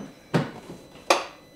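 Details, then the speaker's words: 2019 Polaris Sportsman ACE 570 gives two sharp single clicks and no cranking, after earlier cranking very slowly; starter clicking without turning over, battery issue suspected, starter possibly too. "ah there it is just clicks that's what it was doing and it turned over very very slow versus this one"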